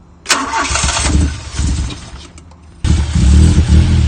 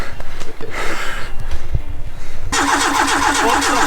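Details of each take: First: Fire-damaged car: starter cranks briefly, then engine catches and settles into steady, even idle with no misfire; starts and runs cleanly. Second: Fire-damaged car being restarted on an ECU: steady cranking then harsher uneven churn, never catches; trigger-wheel voltage threshold set too high so ECU wasn't reading triggers, timing reading jumped.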